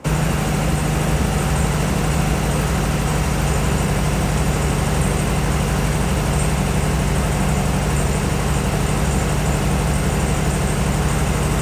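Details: 1968 VW Beetle air-cooled flat-four with points ignition at idle; deep lumpy rumble with the classic VW stutter that sounds like a misfire, long attributed to the muffler, while ignition was checked on an oscilloscope; normal character.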